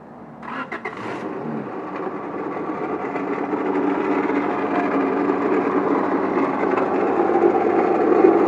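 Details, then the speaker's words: 1997 Honda Accord: engine cranks, catches and idles with a loud, coarse rattling grind from the front (pulley side); water pump bearings probably went bad. "the problem is the uh water pump all that rattling and stuff you heard was the water pump bearings probably went bad and that thing is just terrible man sounds horrible"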